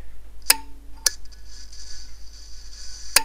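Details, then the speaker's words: DIY electric car heater circuit, high-voltage DC relay driven via MOSFET voltage divider from Arduino kit: sharp uneven relay clicks over a hum as it barely pulls in and drops out; weak coil magnetic field, possible contact arcing under load. "that sound is the sound of a weak magnet field inside of this relay here and when I am drawing amps over this contactors inside of this relay I might have some arcing there"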